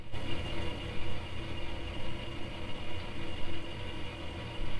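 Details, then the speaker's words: 1998 IBM Aptiva hard drive during a PC Doctor diagnostic drive test: constant low rumbling whir with busy fluttering seek chatter, making a racket far louder than normal; the test apparently failed, cause unknown. "Who needs scan disc when you have the PC doctor? Think's making a racket in there."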